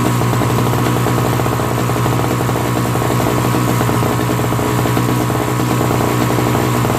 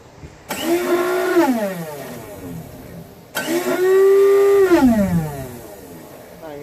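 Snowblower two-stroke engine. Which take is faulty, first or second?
second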